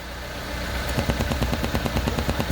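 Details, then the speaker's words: Chevrolet Corsa Classic at idle: rapid, rhythmic frog-like croak, about seven pulses a second, growing louder, from a torn EVAP canister hose near the purge valve; fixed by cutting and refitting the hose. "Olha onde é o defeito pessoal no filtro aqui do canister a mangueira que é rasgada e aí ó muita gente até já pensando em trocar a válvula de plug aqui ó o barulho saindo nela também"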